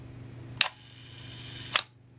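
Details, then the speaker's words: Minolta SRT 200 35mm film camera body, shutter fired at a slow speed (around 1 second): crisp opening click, clean closing click about a second later; slow speeds time correctly and strongly, mechanism working properly, good condition. "So it indicates this is in quite good condition. The mechanism is all still working properly."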